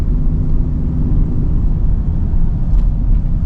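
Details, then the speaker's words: Ford Expedition 5.4 3-valve 4x4 at low speed: low, pulsing hum under the cabin from the left front, from a worn front wheel bearing. "I definitely hear the sound from the left front"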